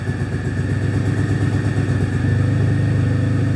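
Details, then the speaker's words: Possibly 2006–2008 Pontiac G6 (complaint: runs rough, check engine lights, antifreeze smell) idling during a scan-tool cylinder balance test: the steady idle beat shifts as each injector is disabled and the engine drops each time, so all injectors are working. "we can disable and check all of our cylin our injectors so we know we're getting all of our we know that we're getting all of our injectors working check all of the injectors pretty cool"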